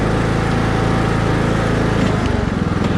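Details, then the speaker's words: Single-cylinder farm mower engine, warmed up and running steadily under load with a slightly uneven beat; it smokes as it warms, oil drops reach the carburetor, and a blown head gasket is suspected; engine smoking. "but I think you can see the motor's getting warm you can see how it smokes"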